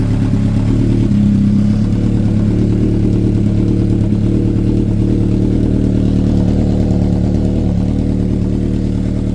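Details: Honda CB750 cafe racer four-cylinder running after a carb rebuild, new spark units and a brake rebuild; owner notes it is a bit loud with a rattle on the tank. A steady, even burble with a low rumble and no knocks or misses; healthy.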